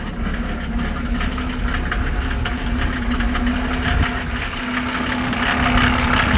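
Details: 1987 Mercedes 300SDL W126 OM603 diesel, cold start before diesel purge: loud, uneven clatter about three beats a second over the rumble at idle; no smoke, no blow-by.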